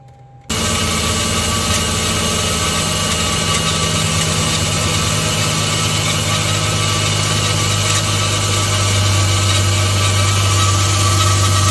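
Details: Mercedes-Benz W212 E300 petrol, cold start after intake manifold leak repair (earlier rough idle, stalling for ~10 min until warm): engine catches and settles into a smooth, steady idle with even low hum; normal, though an air pump running long seems abnormal.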